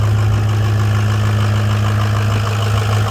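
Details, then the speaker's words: Ford 6.0 Powerstroke diesel after replacing the faulty aftermarket standpipe, torqued to 60; started after a long crank; deep steady idle, no misses or knocks; normal idle after repair. "Alright, so she's running. She's alive again."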